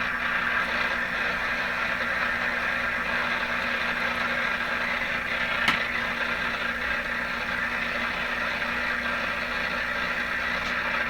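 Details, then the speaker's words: Atwater Kent Model 36 radio on outdoor wire antenna (no loop, no directionality), suspected bad output tube, tuned near 680; steady hiss and crackle, no station received. Radio interference noise. "we're just battling so much interference. This doesn't have a loop antenna, there's no directionality, it's just a wire antenna."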